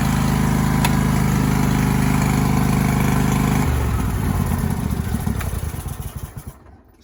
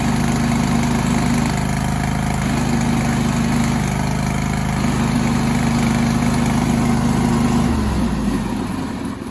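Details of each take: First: John Deere lawn tractor with 613 hours, after cleaning the drive belt pulley and applying WD-40 to fix a pulley noise: steady, even engine drone with no squeal or chirp, then it winds down. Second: John Deere lawn tractor with 613 hours: the engine idles with a faint whirring chatter about four beats a second riding over it until it winds down; a bad, chewed-up drive belt idler pulley.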